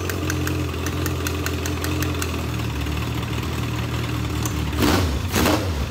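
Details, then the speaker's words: Legends race car, new motor swap on first start-up: lumpy, uneven idle with irregular stumbling beats and surging flares near the end. The carburetor is badly flooding with fuel on a system meant for a two-pound pump; the carb will be pulled off. "carburetor is just absolutely flooding all the gas so it's only supposed to have a two pound pump"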